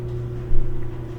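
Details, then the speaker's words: GE electric dryer running empty before front bearing kit replacement: steady low motor hum and even drum rumble, one brief bump midway, normal when empty; with clothes loaded it gets loud, front bearing suspected worn. "that noise is normal but when you put clothes in it starts making a lot of racket so probably this part has worn out"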